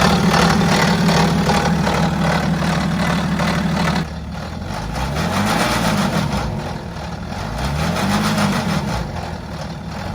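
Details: BMW X5 F15 diesel at idle: rough metallic clatter under the engine note, steady through rev swells; suspected stretched or worn timing chain.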